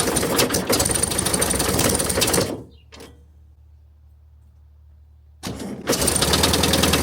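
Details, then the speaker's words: 1971 VW bus 1600 single-port engine, sat for decades: rough rhythmic clatter about three beats a second, cutting out and returning; owner suspects the fan spinning as if bent, likely mounted too tight, and it seemed better once removed. "So I've noticed that this thing spins like it's bent. I think it's because it's just way too tight. That's probably what my sound is."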